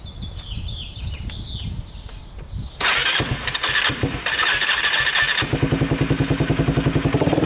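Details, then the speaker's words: Yamaha Warrior 350 quad, year unknown, jump-started with a dead battery before any repair: cranks, catches, then a loping uneven thump that won't climb cleanly, bogging at full throttle. "Kind of bogs. Doesn't sound the greatest. You can hear it bogging at full throttle, like it doesn't want to go full throttle."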